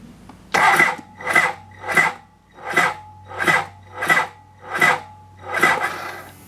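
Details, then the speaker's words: 1992 BMW K100RS, choke full, cranked off a big deep-cycle battery: slow, labored cranking about eighty strained strokes a minute, never catching; battery can't spin the starter, risk of the starter relay staying closed on a weak battery. "K-bikes, when they crank slow, the starter relay closes to do the cranking. If the battery doesn't have enough energy, it won't disconnect."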